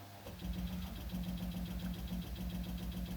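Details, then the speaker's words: Daikin heat pump starting from cold at night, with the compressor starting before the circulation pump. Low, even knocking about 86 a minute rides over a steady compressor hum. Cause unclear; the pump possibly hasn't started because discharge temperature is low. "yesterday I heard some knocking sounds coming from this and this was a situation where the heat pump was starting from cold very odd situation the compressor started before the pump"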